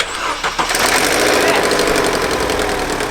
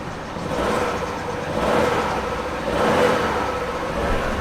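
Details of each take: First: Vauxhall Astra saved from scrap, used only for one-mile trips: engine cranks, catches, then settles into a loud, rough rattling clatter after start-up; abnormal start-up noise, timing chain suspected (looks slack), head gasket not ruled out, unconfirmed. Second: Vauxhall Astra saved from scrapyard, after only O2 sensor replaced (engine light still on): smooth hum rising and falling with gentle throttle blips, slight belt squeal, no misfire or knock; engine now running sweetly and much quieter, owner unsure why.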